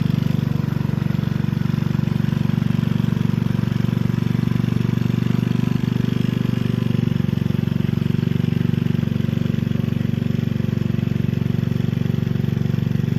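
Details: Gilson rear tine tiller after recoil cleaning, fuel seeping at tank/carburetor seam: steady even single-cylinder thrum holding speed under load, no misses or knocks; running healthy.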